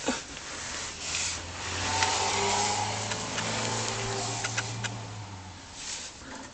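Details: Lexus ES300 with a low steady engine hum and a few sharp, irregular metallic clicks and rattles over it; heat shield rattle suspected, not confirmed.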